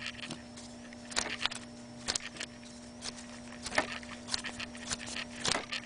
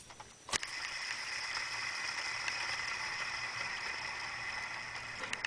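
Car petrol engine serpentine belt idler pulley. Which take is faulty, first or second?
second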